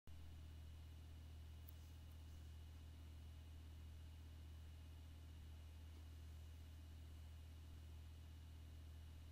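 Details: HP Pavilion dv6-6050ee laptop (2 GHz i5 Sandy Bridge, 4 GB DDR3, ATI HD 6770 1 GB GPU) makes a quiet, steady low buzz with a faint high whine over soft fan hiss.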